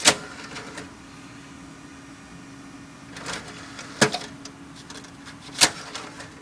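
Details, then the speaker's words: Pioneer slot-loading DVD drive (read-only) in a cheap Apex server case, just powered on: faint steady whir broken by sharp clicks and clunks seconds apart as the drive repeatedly fails to pull the disc in; owner suspects it needs realigning. "shove the disc into the pioneer your drive you'll probably shove it back out and not to shove it in harder then it'll take the disc get in there this thing is not wanting to work I don't know"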